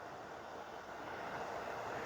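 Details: Charity-shop electric fan heater turned up: soft, steady airy whoosh with no rattle, ticking or scrape, blowing strong heat; working normally.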